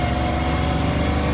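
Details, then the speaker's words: Manual transmission in custom F-150, driving after 2nd gear grind repair and reassembly with clutch: steady drivetrain drone with thin constant whine in second gear; gear whine, transmission must come out again. "That is sick gear whining. At least the rest of your transmission works fine."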